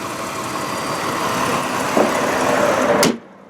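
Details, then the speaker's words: 1999 Mitsubishi Montero Sport XLS V6 with 160,830 miles and no check engine light: smooth, even idle with a steady low hum and no knocks, valve train noise, squeals or squeaks, a healthy engine. "no squealing, no squeaking, no crazy sounds. This actually is a really, really great running vehicle."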